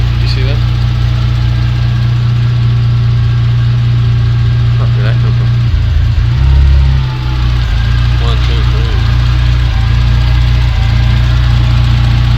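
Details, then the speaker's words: Engine after not running about two weeks, plugs and coils refitted: loud, deep idle with uneven beat and occasional stumble; misfire, suspected faulty injector, possibly a dead coil. "just running for a bit she doesn't sound happy hey what's going on baby listen to that bang bang bang"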